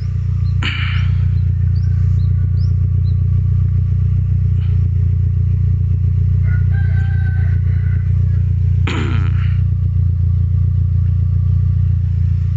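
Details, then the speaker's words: Toyota Vios inspected as a used-car check, engine running, listening at the tailpipe: low, even exhaust rumble at about four pulses a second with no stutter or skip, meaning no cylinder is misfiring; normal idle. "jadi kalau bunyi knalpot seperti ini dia tidak merebet itu berarti Mesinnya tidak pincang"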